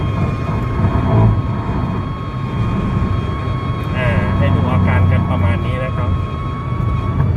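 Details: Car at about 120 km/h: thin steady whistle over heavy road and wind roar, gone at 100 km/h and back at 120; loose window trim fluttering in the airflow.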